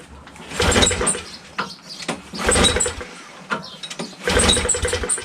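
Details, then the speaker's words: Honda Harmony HS520 four-stroke single-stage snowblower that won't start, at 21°F, choke closed after ether starting fluid sprayed in: catches in short ragged bursts then dies; spark confirmed, carburetor not delivering fuel, so fuel bowl is dropped next. "All right, so we know we have spark, and it's just not getting any fuel."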